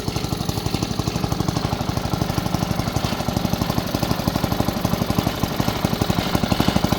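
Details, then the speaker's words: Newly fitted OHV Briggs & Stratton small engine (five or eight hp, governed) replacing an L-head Tecumseh, started on choke: steady even low thumping about three beats a second, no misses or knocks; much quieter, better muffler. "so know I have an engine with overhead valves a better looking Muffler much quieter than that thing"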